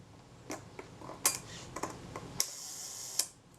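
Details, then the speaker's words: Kodak Retina Reflex III shutter during service, speed train engagement adjusted: release click, a fine buzzing run of just under a second, then a closing snap; slow speed now sounds about right. "that's getting somewhere approaching it that sounds good"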